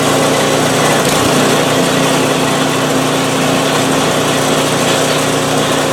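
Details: PowerSmart 24-inch snowblower, first start of 2021 after sitting without fuel since 2018: loud, steady engine drone at an even pitch, no surging, knocking or misfire; normal running, runs great.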